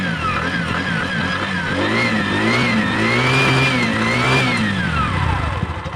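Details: Bajaj facelift second edition single after carbon deposit cleaning, previously hard starting and misfiring: revs up and settles smoothly with an even, steady beat, no misfire or stumble; normal running.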